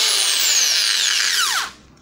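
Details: Bosch 650–660 W angle grinder that had suddenly stopped and wouldn't switch on; brushes and switch were checked during repair. Now a high, steady whine falling smoothly in pitch as it coasts down after switch-off; running normally.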